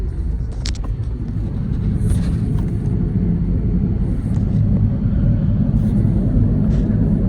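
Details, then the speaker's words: 2008 Toyota Sienna LE: steady low droning rumble in the cabin at road speed, louder when cold, located at the rear passenger side; suspected rear wheel bearing, later replaced. "So we'll go back and we'll maybe jack it up and see what is going on down there. It's possibly there could be a wheel bearing."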